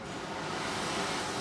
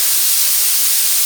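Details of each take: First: Victor-style oxy-acetylene cutting torch with acetylene set too high: a loud, rushing roar as the flame jumps back off the tip. The fix is to turn the acetylene down until the flame touches the tip again and quiets. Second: Victor-style oxy-acetylene cutting torch set to a neutral flame with the cutting lever held down. The cutting oxygen jet gives a steady, even high hiss with no sputter or popping, flowing normally while being fine-tuned.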